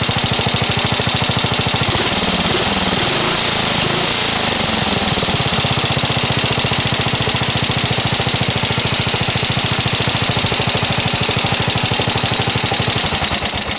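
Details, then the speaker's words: Briggs and Stratton 12hp flathead vertical-shaft single-cylinder engine on a tractor, right after carburetor main mixture and idle adjustment: even firing that picks up cleanly, settles back and holds a smooth run; revs up and idles nicely, carb now set right. "you can see it revs up nice it idles nice it's uh sounds good at the higher RPMs and it should be tuned and ready to go"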